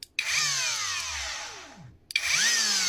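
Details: Cordless grinder after resoldering cut wires to a faulty switch, tested on battery: whines up quickly to a clean high pitch, coasts down evenly and restarts crisply; motor healthy.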